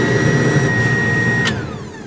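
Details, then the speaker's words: Older used truck's cab heater blower checked during a pre-purchase inspection: a steady loud roar with a high whine that winds down when switched off. "if you have a blower motor that only works on high it's the blower motor resistor"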